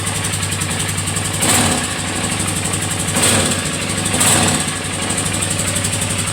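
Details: Polaris Sportsman 450 at idle: rough, busy idle with a light rattle-knock under the engine and a few brief revs; loose piece at the air box/gas tank area knocking.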